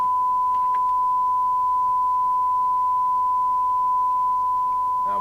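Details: 1981 Rotel RVC220 (Cybernet 134) UK FM CB radio after extensive repair, receive test on SINAD meter near 1 µV: clean steady mid-pitch tone, no hiss, crackle or warble; sensitivity 0.23 µV for 12 dB SINAD, receiver working properly.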